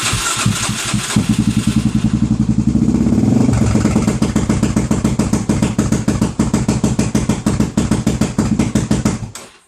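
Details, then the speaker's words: Suzuki DR-Z400SM running poorly, possibly fuel-starved; fuel line and vacuum line OK, tried with fuel cap off. Idle thump picks up on blips but falters and chuffs around quarter throttle. Part-throttle hesitation, cause unconfirmed. "it's interesting on that sort of uh about quarter throttle it's not really enjoying it"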